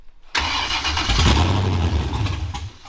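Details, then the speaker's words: Rebuilt custom V8 in a rebuilt crashed car, test start after fitting the correct spark plugs; catches right away and settles into a strong even rumble, no tapping or misfire, much better than before; normal engine start. "We're going to do a test start with the correct spark plugs and see how she runs."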